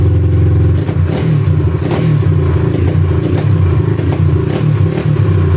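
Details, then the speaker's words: 1986 Honda ATC200X with air filter not hooked up, run briefly on float-bowl fuel: revs up and settles with a crisp, even beat and loud, throaty exhaust; normal running, louder than stock. "Sounds good with that exhaust, man. Sounds all right. Little loud for a 200X, but you know, all bark and no bite probably."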